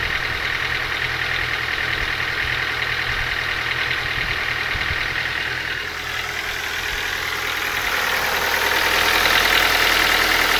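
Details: Ford Focus 2 engine at idle with a steady, fairly even ticking knock, about three a second, rising a little as revs climb; engine knock, source undetermined.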